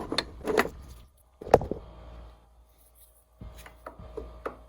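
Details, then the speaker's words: Ford Mustang T5 transmission countershaft rocked by hand: uneven dull metal clacks about one a second, an estimated 15 to 20 thousandths of end play, blamed on a stretched factory bearing preload plate. "Wow, that's a lot of slop. You guys hear that? That is a lot of slop. That's probably 15, 20 thousandths. That is no good, man."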